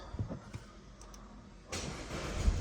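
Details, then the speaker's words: 2014 Audi A4 Quattro 2.0L after timing chain replacement, codes cleared and previously a long crank: a brief crank, then it catches quickly and settles into a smooth, even idle with no knocks and no check engine light, a healthy start. "Oh, that sounded pretty stinking good. No check engine light."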